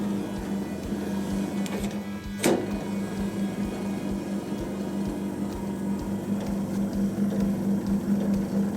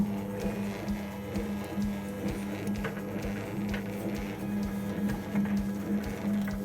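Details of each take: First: Drain pump of a vintage Hotpoint Countess single-tub washer with wringer. A steady, even motor hum holds one pitch with no load change; the pump runs but does not pump out, and the owner suspects scale. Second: Wringer roller motor of a vintage Hotpoint Countess single-tub washer, engaged. A steady low hum with soft clicks about once a second; it runs smoothly and works.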